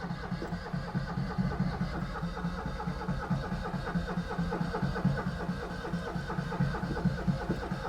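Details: Steady rhythmic starter churning at about two beats a second with no catch or firing; it cranks but won't start.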